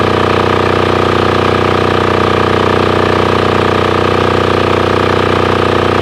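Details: Formerly non-running Titan 7500 W diesel generator revived after cleaning, started on a jumper box using compression release: steady even single-cylinder diesel clatter at constant speed, no misses or surging; normal running.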